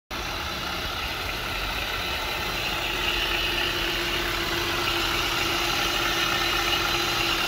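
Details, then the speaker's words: Honda Pilot engine at idle, pulleys checked with a stethoscope: steady harsh hiss with a thin, constant high ring, ear-piercing; the noise is traced to the worn auto belt tensioner pulley. "That sounds terrible. Ear piercing. Not good. Not good. Not so bad. That's the auto tensioner right there, bud."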